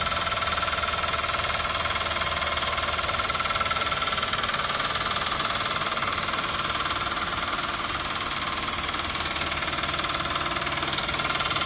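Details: 2012 Toyota Avanza/Daihatsu Xenia, 1.5 L 3SZ-VE I4 at idle: steady fast ticking knock about four per second, persisting with serpentine/fan belt removed, so mechanic says it comes from inside the engine; cause unconfirmed.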